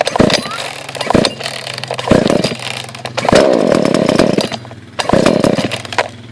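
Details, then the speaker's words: Husqvarna 142 chainsaw cold start: switch on, choke pulled out, several pulls until it fires and sputters briefly on choke then dies back; once it fires, push the choke in a bit more. "Once you hear that, push in the choke a little bit more."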